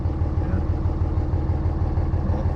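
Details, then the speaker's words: 24V Cummins diesel idling at about 300 rpm after a valve lash adjustment; a low, even pulsing beat with no shake or stumble, much smoother than the rough idle of the day before, though idle speed is still below spec. "it still sounds different right now but at the same time it's like it's not idling it's anywhere near as bad as it was yesterday it's not shaky like it was"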